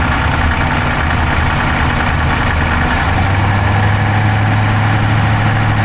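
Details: Dodge Charger Hemi V8 at idle, camera inside the engine bay on the driver's side: quick, light top-end ticking over the low rumble; no smoke from the pipes, owner doubts a dropped valve, cause undetermined.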